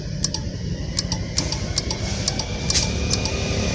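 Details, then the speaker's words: Honda Scoopy, battery good and lights working: pressing the starter gives only scattered light ticks, one or two a second, with no cranking; ECU socket loose, overheated and melted, cutting the electrical circuit. "Nah jadi waktu kita pencet tombol starter nah dia hanya terdengar seperti itu ya seperti ini contohnya fokus ke sini ini nah"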